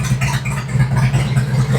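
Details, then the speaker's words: 2003 Harley Twin Cam after oil pump and cam plate replacement (Feuling OE+ kit) and re-fixing mistimed cams: deep steady V-twin idle, even lumpy beat, no tapping or lifter clatter; top end healthy. "It already sounds better. Got it! I'm all excited that I fixed my own F up."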